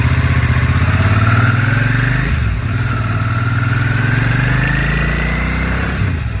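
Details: 2003 Suzuki SV650 naked V-twin at idle: even idle with a light tapping about four times a second, loosely tied to engine speed; owner suspects slight rod knock, second in a series of four clips, unconfirmed.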